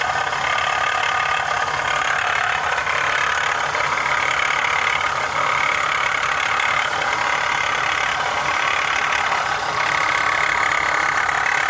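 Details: 2015 Honda CR-V at a steady idle with a loose, uneven rattle, roughly three beats a second; source not identified.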